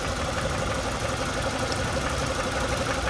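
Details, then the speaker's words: Renault Megane 2 with Check Injection and Check Gearbox warnings, low power and codes DF073/DF074 for cylinder 2 and 3 ignition coil circuits: rough, shaky idle with missing firing pulses, smoothing when the cylinder 3 coil connector is touched; misfire from loose coil connector. "Avez-vous remarqué que le moteur devenait plus doux lorsque j'ai touché le connecteur de la bobine du cylindre 3 ?"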